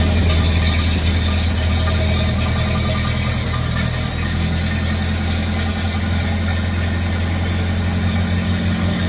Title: 1930 Ford Model A coupe engine start up after rebuilding at MetalWorks. Flat head engine running.